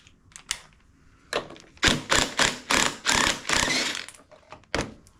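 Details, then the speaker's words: John Deere S240 mower deck idler pulley spun by hand: rough, gritty grinding bursts each turn, bearing with hardly any grease left and going out; to be replaced. "All that noise, that's not a good sign. That means that that idler, the bearing, is going out."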